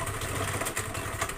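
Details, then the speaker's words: Honda Vario scooter lacking power, rough noise from the CVT case: rough, uneven rattling churn over idle with loose irregular knocks; worn roller housing bushing, damaged rollers and tired belt in the CVT. "Oke kasus utamanya suara kasar di bagian bak civt ada suara kasar di bagian bak civit"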